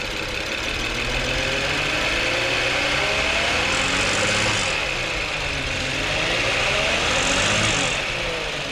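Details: 2006 VW Passat with low oil pressure light, revved: revs climb and fall with hissy uneven metallic rattle tracking engine speed; owner suspects broken plastic timing chain guide pieces blocking oil pickup, to confirm by dropping pan and transmission.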